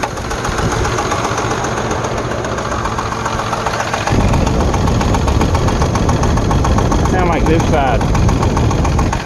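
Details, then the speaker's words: Jeep Liberty 3.7 Chrysler V6 idling with the check engine light flashing: a loud rapid clatter about three or four per second over the idle, from a rocker arm that has come off its valve, a common failure on these engines. "i'm really sure it's a rocker arm it's a common problem for these things let's start it up see what we hear simply isolate it from one side or the other sounds awful"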